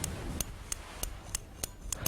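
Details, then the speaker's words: Mr. Bulletfeeder micro switch held near microphone while actuator arm is pulled; sharp crisp clicks about every third of a second, switch mechanism working properly. "That clicking sound indicates the mechanism of the switch is working."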